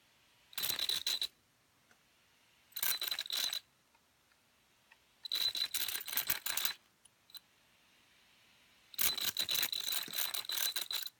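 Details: Redcat Volcano EXP RC truck, new out of the box, with the ESC programmed: short harsh gritty rattling bursts each time the motor spins up. The pinion is suspected of not meshing with the spur gear; not confirmed.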